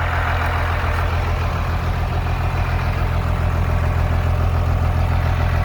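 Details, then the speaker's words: Cummins 12-valve turbo diesel swapped into a 1949 Chevy cab-over pickup: deep, steady diesel rumble with even clatter at idle, no knocks, misses or surging; healthy idle. "the diesel sounds cool you don't really expect to see an old truck powered by a 12 valve"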